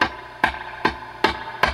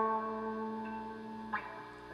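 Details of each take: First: Dr Z Maz 38 Senior guitar amp with reverb feeding back at high levels: sharp crackling pops about every 0.4 s when a 56k resistor is pressed; suspected cracked carbon arcing, resistor to be replaced. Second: Dr Z Maz 38 Senior amp after replacing a microphonic resistor that caused reverb feedback: clean guitar notes ring out with full reverb and no whistle or feedback building underneath. The reverb is normal with no squeal.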